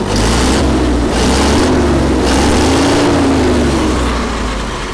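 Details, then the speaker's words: Allis Chalmers FP-40 vintage forklift after complete fuel system overhaul (carburetor, choke cable, plugs, gas tank), air filter fitted; steady low idle, perhaps slightly fast of the 500–550 rpm spec, with gentle swells as the governor rods trim speed; runs evenly, governor working normally. "so i can see the governor rods working so i think it's doing its job"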